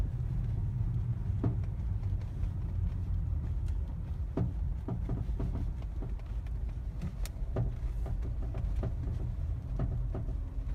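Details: Mazda 3 BM, knock only in cold/frosty weather since purchase, while driving; scattered sharp knocks from underneath over steady road rumble; owner suspects the dealer-installed crankcase guard, unconfirmed.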